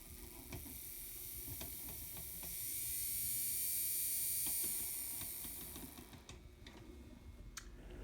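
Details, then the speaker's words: Bachmann On30 2-6-0 model locomotive motor, reassembled with retainer: small motor spins up to a high, steady whir for a few seconds and winds down smoothly, no rubbing or ticking; runs clean. "And then also test it in the frame, just to be sure that nothing's touching your flywheel. But that sounds amazing."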